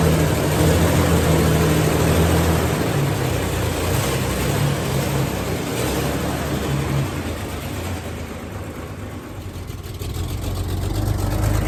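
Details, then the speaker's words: Wife's old car, untouched for 5 years, first start on 5-year-old gas: loud deep engine run with uneven puffing rumble from a terrible exhaust leak; otherwise runs well. "started well aside from a terrible exhaust leak which I will fix it actually runs good"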